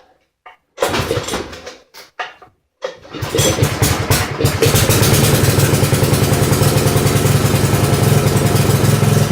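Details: Poulan 900 rototiller with oil dripping from the carburetor airbox, started on choke at slow speed: it coughs through false starts, then runs with an uneven, lumpy beat. Rough running; oil soaking the air filter and restricting air is suspected.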